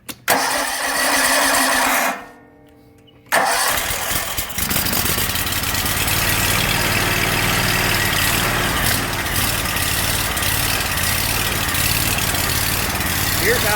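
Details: Kawasaki FH580V 19 HP V-twin on Exmark zero-turn mower: cranks then surges and idles roughly; new coils, fuel pump, filter and carburetor cleaning didn't help; vacuum leak from missing carburetor Welch plug.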